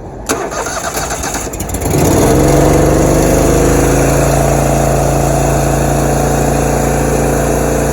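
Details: Riding mower that dies when the blades are engaged: it cranks and catches, then runs rough with a lumpy, uneven beat on only one cylinder, with no mid-range and zero idle.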